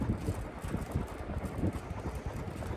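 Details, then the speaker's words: 140cm GEC Relite industrial ceiling fan on original controller, high speed, slightly unbalanced blades wobbling: low uneven rumble from noisy motor bearings over rushing air; camera makes bearings sound louder than in person. "Be I'm not sure if you're going to hear the air movement sounds because the bearings are noisy, but the camera actually does make the bearings out to be louder than they actually are to be honest."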